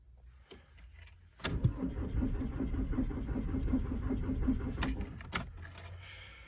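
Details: VW Golf Mk4 1.9 TDI (AGR) 1999 diesel at 4 °C, new battery, compression OK, repaired Bosch VE pump, oil lamp blinks while cranking: steady cranking with even compression beats for about 3.5 s, no firing; owner suspects relay 109, cam sensor, timing or fuel.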